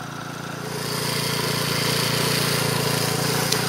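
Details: Troy-Bilt four-stroke weed eater after clutch repair and reassembly, cold on half choke after priming; buzzes steadily, rising a little as it gains speed, no knocking or stumbling; running fine.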